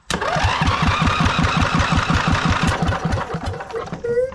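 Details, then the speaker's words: Replacement 26hp twin engine for a Lesco Viper 54" zero-turn mower cranked for a compression test: even, steady chuffing, reading about 115 on one cylinder and 125 on the other, good compression. "Let's test one cylinder. Okay, good. We have about 115. Okay, here's the other cylinder."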